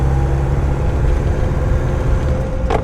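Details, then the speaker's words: Mercedes W115 /8 220D diesel driving about 20 minutes after a hard start. An even, deep engine drone under way with no tapping, knocking or rattles over the road rumble: running well, no engine noise. "Engine running good. No noise from the engine."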